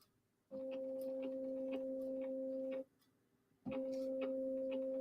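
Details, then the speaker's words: SainSmart Infi-20 belt 3D printer, X axis commanded to move: smooth clean steady stepper hum in two moves, axis moving normally, while the Y axis belt elsewhere slips. "Let's see if the X-axis moves. X-axis is moving. That's good."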